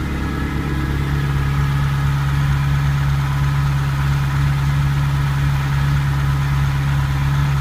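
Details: Ferrari 308 QV after crumbled camshaft pulleys were replaced with aluminium ones and cams dialed: smooth, even idle with a steady low drone, no ticking; owner thinks the belt was set wrong after a service.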